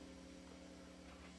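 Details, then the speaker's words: Electric guitar on the sensor pickup (first/second position) with volume fairly loud: constant low buzzy mains hum picked up from a soundboard about 4–5 feet away, changing as the player turns; switching to the back humbucker removes it completely. "I turn just even a little bit, now you can hear it again. And once again, if I put it on the back humbucker back here, it goes away completely."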